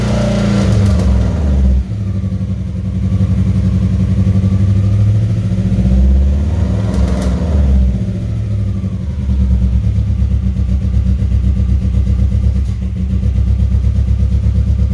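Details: 2003 Subaru WRX rally build, first start after timing work and new battery, in neutral with clutch in: loud fuel pump, then idle stumbles with loping irregular beats and dies; misfiring, compression issue suspected, not confirmed.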